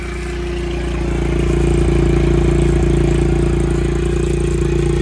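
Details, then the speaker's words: Honda XR70 single-cylinder, smoking, low compression, rings suspected; after about 10 minutes running: even rapid clatter, about three and a half knocks a second, over a low idle, cam chain slap. "a lot of engine noise going on right now this is after running for about 10 minutes it's really a lot of cam chain slap it sounds like"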